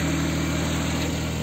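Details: Jaguar XJ40 6-cylinder petrol idling right after an in-tank fuel pump replacement and a refitted fuel-line clip; steady, even low hum with a faint constant drone, no knocks or misses; idling normally.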